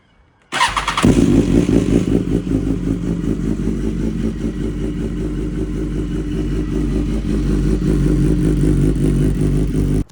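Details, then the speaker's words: 2014 BMW S1000RR four-cylinder cold start: brief metallic rattle in the first one to two seconds, then settling to idle, from the cam timing chain; tensioner can be replaced with a manual one. "So I don't know how clear it was in the video, but for the first 1 to 2 seconds, you can hear a little bit of a rattle, which is your cam timing chain."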